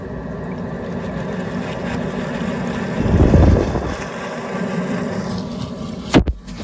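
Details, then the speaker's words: Boiler flue at high rate: under steady burner roar, irregular bubbling and spitting surging midway, like water sitting in the flue; it cuts out and kicks back in. Cause suspected, not confirmed; after clearing, the flue spat water and sounded better. "rate and it sounds awful like there's water in this flu"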